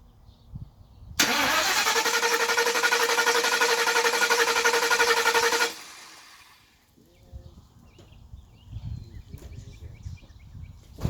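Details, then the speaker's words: Car after idle air control valve replacement, shut off and now won't restart: starter whirs steadily about four seconds, engine never catches. Scan tool reads too lean, likely bank 1; owner suspects a bank 1 exhaust leak upsetting the O2 sensor. "Now it doesn't want to turn on, guys. And I stuck my computer in there, and it told me that it's running too lean."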